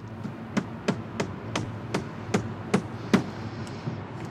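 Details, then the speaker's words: Quad engine with seized cylinder, piston at top, being disassembled: sharp metallic clacks, two or three a second, as the loose piston is rocked by hand, showing excessive piston play knock. "jak tam ło jaki luz kurna ale puka słyszycie Jak wali"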